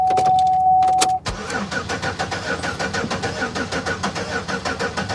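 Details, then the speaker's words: Old Chevrolet Monte Carlo at a Copart auction, jump-started from a booster pack after cycling the key to prime the fuel pump: starter spins evenly about three beats a second with no firing; cranks but won't start, owner suspects not a fuel issue. "nah she's making no attempt to start at all none and i'm not gonna sit here and kill my booster pack over it"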